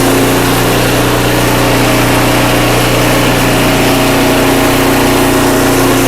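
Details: Craftsman 5/24 track snow thrower after carburetor cleaning with carb spray and compressed air: small engine holds a steady, even buzz with no surging, misses or knocks; runs healthy.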